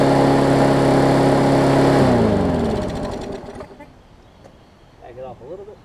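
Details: Newer Murray push mower, after adjusting the governor spring for throttle adjustment: steady, even drone at governed speed for a couple of seconds, then winds down, normal running speed.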